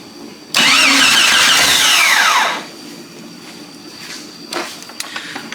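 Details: Jeep Cherokee XJ after a replacement 15 amp fuse went in: starter whirs hard for about two seconds and the engine never catches. Cranks without starting, traced to a blown fuse; a crank sensor issue was also suspected.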